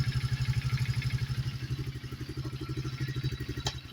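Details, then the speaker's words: Chinese Coleman AT125 ATV after carb tune-up and fixing a tight throttle cable that caused a high idle: even single-cylinder idle at about eight beats a second, starts well, no ticking or knocking. "but I've got got it all lined out now starts good idle's good"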